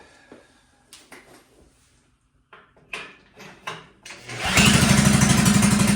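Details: 1957 Wheel Horse RJ35 garden tractor after sitting 5+ years, drive hooked up for a forward/reverse test: clunks and handling, then single cylinder runs with an even, steady beat; normal running, runs and moves.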